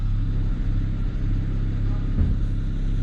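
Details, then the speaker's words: BMW 335i E92 N54, about 94-95k km, after clearing codes: low steady idle rumble, reasonably stable with an occasional soft pop; spark plugs to be checked, injectors old. "reasonably stable and it's just got a bit of a pop every now and again so we'll just check the spark plugs as well"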